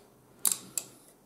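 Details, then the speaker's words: Monochrome CRT monitor powered on after replacing a part that fried, probably while discharging a capacitor: a couple of sharp clicks and a brief high, thin squeal, then quiet. These are correct power-on sounds. "well i certainly hear sounds that are correct so i'm going to call that on"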